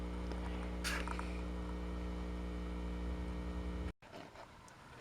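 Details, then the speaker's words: RCA MI 13295 PA tube amplifier being converted for guitar: a steady low, deep hum with faint scrapes that cuts off abruptly near four seconds. A short at a tube, which seemed worse after a bypass cap was changed, is causing mains hum. "So there's some short I'm tracking down here on this tube"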